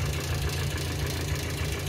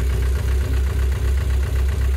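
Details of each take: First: Petrol engine idling with a rough, clattering top-end tick from suspected hydraulic lifters, heard while a chemical engine-flush product runs before the oil change; the engine normally ticks slightly and clatters at startup. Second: Engine with hydraulic lifter tick, first start after an oil flush, before the final oil fill: steady idle with only soft, even light tapping, far less clatter than before; lifter tick much reduced.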